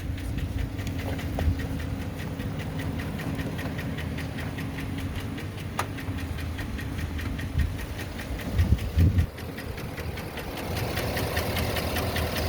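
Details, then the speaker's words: Before treatment with AMSOIL power foam, flush, Signature Series oil and PI cleaner: rough, uneven idle with a terrible loud, steady rapid lifter knock up top over the low rumble, much worse than a slight tick. "it was more than just a lift knock it was a terrible loud lift or knock it wasn't just the little slight ones so we want you to hear this this rough idle"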